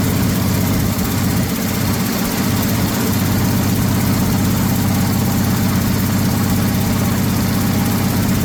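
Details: 1979 Ford F150 shortbed 4x4, 300 straight six with new carburetor, started after sitting 4 years: rough low idle with a steady puffing tick about four per second; owner says it clearly has an exhaust leak somewhere.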